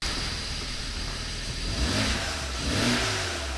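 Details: BMW 535xi wagon engine running on all six cylinders after a blown 30 A fuse was replaced, clearing throttle body and camshaft faults: rises and falls cleanly through two blips with no stumble or misfire; healthy revving.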